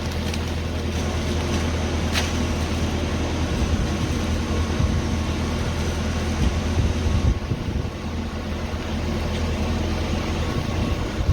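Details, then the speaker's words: Orsi hedge cutter, 15 years old, on 65 hp motor after flail change, cutting hedge: deep even drone with steady chewing as the head takes big bits, no bogging; normal running under load. "hedgecock runs it's a 65 horsepower motor so as you can hear here sort of chewing that this head are a few big bits that need disappearing it doesn't affect it"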